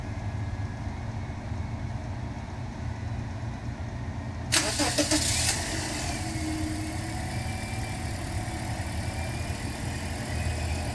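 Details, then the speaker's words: 2012 Toyota Corolla after misfire (P0300) fix with spark plugs torqued to 15 ft-lb and a new coil: engine starts and settles into a smooth, steady, even idle with no misfire. "smooth as can be so real quick we're going to head to the back to the exhaust and check for misfires there too"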